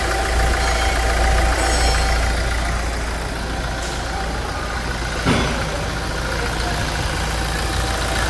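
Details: 2016 Toyota Hilux 2.8 GD diesel, 350,000 km, idling with the hood removed after a timing chain replacement (new radiator also fitted); a steady, even, smooth beat with no chain slap, much smoother than before: normal idle.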